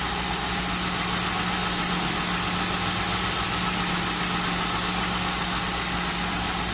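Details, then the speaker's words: Lincoln Town Car first start-up after nearly a year sitting: smooth, even idle with a steady low drone and no knocks or ticks; engine sounds healthy. "hear that oh yeah sounds real good"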